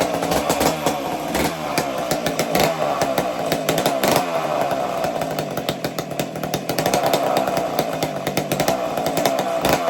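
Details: McCulloch two-stroke chainsaw after starting trick, warming up: high buzzy wail, fairly steady with some uneven crackle, blowing smoke as it warms; runs strong, normal running.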